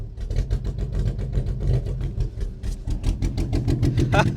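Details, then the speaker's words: BMW E46 318i Touring after earlier failed start, wiring faults suspected: low, lumpy, uneven chugging with irregular beats and dropouts, barely running on about one cylinder; cause not confirmed. "that said it sounds like we're barely running on one cylinder right now"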